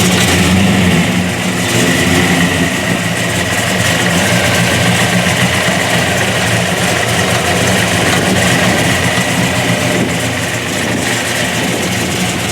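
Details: General Lee tribute with a 426 Hemi and 871 blower, MSD programmable ignition, detuned for the street: deep, lumpy V8 beat about three and a half pulses a second with steady blower whine; strong, healthy idle.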